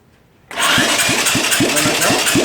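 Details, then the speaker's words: 34-year-old Honda ATC three-wheeler, electric start run off a car battery: starter turns the engine slowly and unevenly, about five labored compression pulses a second, lazy cranking; cause unknown, starter motor or wiring suspected. "Yeah. Yeah. It's pretty lazy now."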